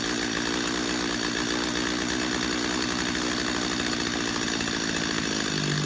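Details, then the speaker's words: Chainsaw carburetor tuning: high, buzzy two-stroke idle steadies and drops slightly in pitch as the idle screw is turned down until the chain just stops moving: idle speed being lowered. "Go back to your idle screw, turn your idle screw back down until that chain just stops moving. Now I'm going to switch to a close-up so you can hear me do that, so you can actually hear what that sounds like when I do it."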